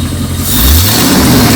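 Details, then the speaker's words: Jeep with a salvage-yard engine, after replacing the ignition coils: throttle blipped, revs climbing quickly and evenly with no stumble or misfire. Healthy revving. "hit it pop it 5000 RPM made a difference"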